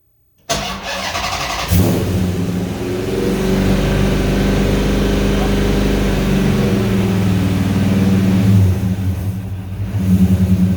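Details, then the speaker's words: 1970 Coronet with swapped 6.1 Hemi V8, first start after oil priming and a fix for poor running: cranks briefly, settles into a strong steady lope with no knocks or misses; air-fuel ratio rises from 11.3 to about 13.8, charging 14 V, idle slightly high. "yeah dude that is so much better okay air fuel ratio is coming back up it was down at uh it was down at 11.3 now it's coming up to 13.8 13.6 right there that's that's pretty good"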